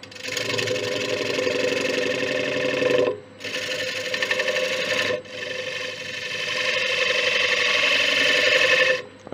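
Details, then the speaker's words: Large ash bowl on the lathe at 700 rpm, taking tiny wisps: smooth, even rasping during each pass with short pauses and no thumping. A clean, continuous cut on a round bowl. "the clean cut now as you can see with the wisps i'm taking off i'm only taking off tiny bits till this thing is around"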